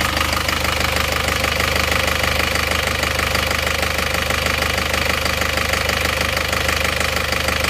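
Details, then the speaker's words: Isuzu Panther Touring New diesel idling rough and uneven with hard tak-tak knock about three a second, engine shaking, not mounts; one cylinder seems dead, suspected nozzle, delivery valve or injection pump; some blow-by smoke from dipstick. "Suaranya emang cenderung kasar ya nih, tak terus tidak rata ya. Ada satu silinder itu yang tidak bekerja kayaknya, jadi kurang maksimal."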